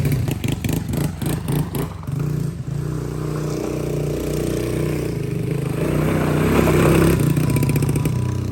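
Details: Cheap Amazon quad, small single with bigger carburetor, cold air intake and stock exhaust, ridden by a 200-pound rider; chops along then pulls into smooth rising revs without stumbling or popping; normal running under load.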